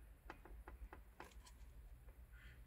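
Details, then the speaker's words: MY09 Saab 9-3 Vector TiD 150HP manual wagon with recurring P0425 EGT fault, EGR actuator triggered from a diagnostic tool with the engine off: five or six light clicks as it steps through its travel. EGR actuator operating normally. "yeah it actually moves so i can hear that egr actuator"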